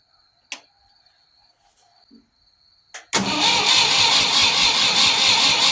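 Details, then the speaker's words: Ford 3000 tractor right after replacing the starter solenoid, fuel possibly not turned on: long quiet crank, then catches abruptly into a loud, busy run; hard starting. "I don't think I had the fuel on, but she was kind of hard to start there."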